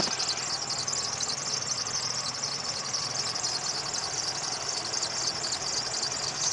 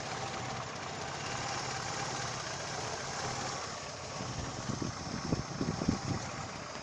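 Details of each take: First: Daewoo Lanos at idle, before belt conditioner is applied: steady high-pitched squeal over a quiet engine from the slipping alternator belt. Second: Daewoo Lanos alternator belt drive at idle: quiet, even petrol idle with no squeal or chirp from the belt; the accessory drive sounds settled.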